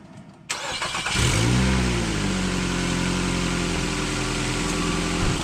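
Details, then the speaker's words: Nissan Altima with P0420 code and exhaust smell in the cabin, started after removing the O2 sensor line: brief crank then idle with a rapid uneven puffing tick; leak likely not at the gasket but behind the converter, which needs replacing. "all right so unfor I don't think it's coming from the gasket on there and I can't see behind there so it's definitely coming from behind there somewhere which means we are going to have to replace this"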